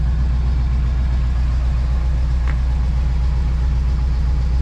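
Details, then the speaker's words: Cold idle on a vehicle not yet warmed up. It is a deep, smooth, even V8 rumble with no knocks or ticks; it is charging and has decent oil pressure, a little over 30 idling, and the engine doesn't sound bad. "The engine actually doesn't sound bad. It's charging, it's got decent oil pressure. A little over 30 idling. It's not quite warmed up yet."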